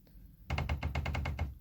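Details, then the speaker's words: Kyocera P3145dn laser printer with paper jams at the drum and loud operation; with the drum unit drive engaged and the motor turning, sharp cracks about six per second over a motor hum: stripped teeth on the drum drive gear (Z128R 302L231040), which gets replaced. "Значит, начинаем вращать двигатель. Вот, пожалуйста, что-то произошло с шестерёнками. Происходит треск."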